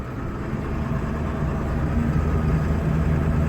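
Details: 1999 Ford F-250 Super Duty 7.3 Powerstroke diesel, automatic, 4WD, revived after sitting over 3 years, after clearing air from fuel: steady even idle, smooth low rumble, no misses or knocks, no smoke; normal idle.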